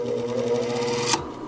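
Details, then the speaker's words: Refurbished Century electric motor wired for 240 V, given a push start for lack of starting torque; steady hum spinning up, then one sharp click about a second in as the centrifugal start switch disengages normally. "there goes our start switch the centrifuge uses the central central force our centrifugal forces to disengage"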